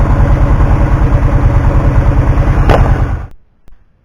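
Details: 2009 Kawasaki Teryx 750 fuel-injected, which backfires and loses power once warm, idling cold with a fuel pressure gauge hooked up: steady, even low thumping with no misses or pops, then a clean shutoff; normal cold idle.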